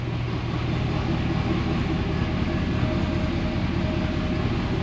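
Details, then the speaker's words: 2016 Ford F250 diesel with squirrel-chewed crank position sensor wiring, which gives an extended start: a dull, smothered low rumble with no crisp exhaust pulses that sounds underwater, cause unclear. "it sounds like it's underwater."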